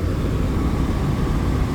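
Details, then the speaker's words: Restaurant kitchen AC unit running after retightening, bearings not yet greased; heavy low rumble and steady droning shake, vibrating badly but no worse. Pulleys worn, but tech suspects the indoor blower assembly. "yeah I mean I don't know if it's coming across on camera it hasn't gotten worse but it's vibrating pretty bad now pulleys can cause vibrations too if they're really rutted and the belt's getting stuck in them"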